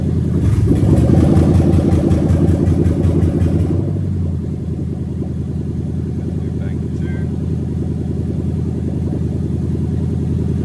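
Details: Lexus 1998-2000 LS400 1UZ-FE VVT-i V8 with its harness adapted plug-and-play into an IS200 with a manual gearbox, warming from about 33°C during the oil control valve active tests. After a brief burst of other sound it idles steady and even, with no knocks or misses; normal idle.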